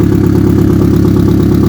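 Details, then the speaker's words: Rare ABT Audi TT running after a new cambelt, on old fuel: a smooth, steady idle overlaid with a loud raw chuffing from the front, where the broken flexi downpipe leaks exhaust. "well very very slightly but mostly it's coming out the front where that where that down pipe that flexi pipe's got to break it it's just all coming out the front"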